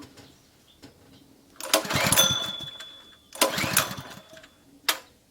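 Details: Honda GP160 two-inch water pump stored unused for a long time, choke on: three pull-cord cranking bursts that spin briefly and die without firing. The spark plug stayed dry, so fuel isn't arriving; the carburetor is blocked and there is no start.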